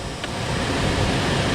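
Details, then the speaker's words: 2005 Skoda Fabia cabin heater blower, tested on speeds after removal and cleaning (a peanut was found inside): a steady, even rush of air with no rattle or scraping; it is fine, though speed one does not work. "four oh that ain't bad obviously number one's not working"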